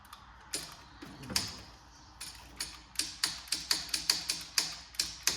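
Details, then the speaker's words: Toyota Caldina power window: motor gives sharp dry clicks but glass won't move; wiring checked fine, fault suspected in the motor. "definitely something to do with the motor. All the wires are fine, but you can hear the motor clicking."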